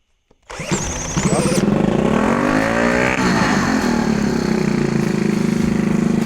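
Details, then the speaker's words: 1964 Honda Super Cub CA102 after a top-end rebuild: it catches, blips up smoothly on a little throttle, then settles to a steady, even idle with no knocks or misses. It runs normally. "what do you know that sucker sounds good doesn't it"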